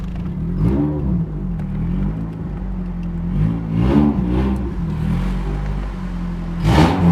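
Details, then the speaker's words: 1989 Honda Prelude 3rd generation: low, rough drone rising and falling with throttle blips, harsh and uneven; abnormal engine noise, cause unclear. "oh that sounds horrible"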